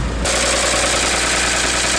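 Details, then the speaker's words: 1957 Chevrolet 6400 fuel truck idling with a T-shirt as emergency fan belt driving water pump and fan, alternator removed for repair: steady idle under loud airy fan rush, no knocks or belt squeal; runs fine. "And I'm going to start it up and let you see how it works. Alright, the truck is running."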